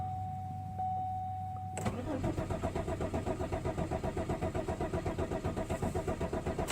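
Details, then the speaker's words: Malibu sitting about a month, failed to start night before (owner suspects not enough fuel in fuel rail): starter cranks steadily about four beats a second for five seconds, never fires; no start, cause unconfirmed, ignition mod planned. "Huh? I ain't got nothing at all now. Will not start at all."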